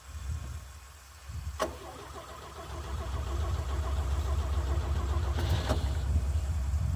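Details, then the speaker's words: 1965 Chevy C50 grain truck abandoned for years, with a fuel pump installed; starter cranks briefly, then the old petrol engine catches and holds a rough but steady low idle. "It's fired."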